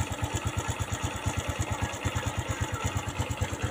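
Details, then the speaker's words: Honda Supra X125 FI after fixing lost compression (rocker arms reinstalled, kickstart now feels heavy), electric start: even low thumps about three per second, no misses or ticking; smooth, steady single-cylinder idle. "Sekarang, cukup tekan sekali dan akan mulai."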